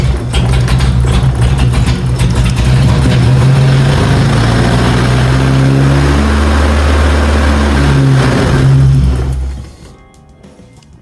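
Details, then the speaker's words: BMW E30 idles low and uneven with a wavering beat, then dies; cause unconfirmed. "then it dies. So, this is the little surprise I was talking about if I didn't get the car started. And it won't happen cuz the fuel pressure regulator gasket is blown."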